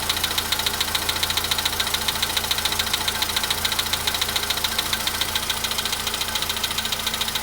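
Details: VW Polo Sedan at 93,000 km, cold-start idle: a sharp metallic tick about 105 times a minute, steady and regular; an engine knock of unknown origin that seemed very strange.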